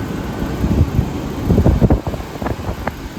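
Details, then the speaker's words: 1978 Comfort Air Quiet Master window air conditioner, Tecumseh AH compressor: steady low compressor drone with even fan whoosh, no knocks or rattles; compressor and fan motor running healthy, shortly before tripping a breaker on restart. "QM is running really well. You guys can hear that. That is a very happy Tecumseh AH compressor."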